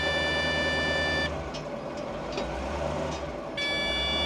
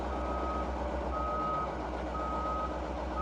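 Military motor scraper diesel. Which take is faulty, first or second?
first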